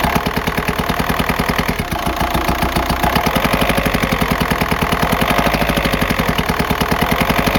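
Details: 2004 VW Jetta TDI PD diesel idling: sharp, fast rapping tick throughout from a failed, worn camshaft, not an exhaust leak; worsened over weeks until the car lost speed on highway grades.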